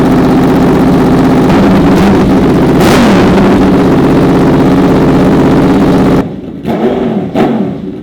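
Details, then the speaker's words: Honda VFR/CBR hybrid V4 with custom LexTek dual exhaust, warmed up after oil top-up and fresh coolant; deep burble climbs cleanly on throttle blips and settles evenly, no misfires or rattles; healthy. "All right, guys, so I have to say the dual exhaust with this V4 engine, that sounds freaking amazing. Not too many street bikes sound like the V4 engine at all."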